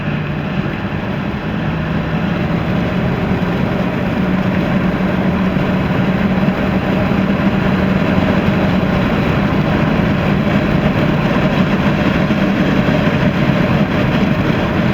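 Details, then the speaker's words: 1985 Buick Grand National turbo V6 on the move after a half-throttle pull: steady even engine drone with constant road noise, no knocks or misses; pulls smoothly and sounds healthy, a good runner. "Yeah, it's a good runner."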